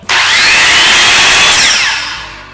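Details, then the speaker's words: DeWalt circular saw (brand given as "WeWALT"), first test run after switch-assembly repair; owner had worried the motor might be burning out or drawing too much; sharp rise to a steady high whine, then smooth coast-down, not as loud as expected; healthy. "dad it's not as loud as I thought it would be"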